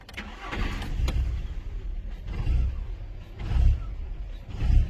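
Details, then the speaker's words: 2007 Volkswagen Jetta petrol engine idling unevenly, revs swelling and dropping about once a second after codes cleared; still surging, remaining codes fan control module and steering column lost communication. "still doing it."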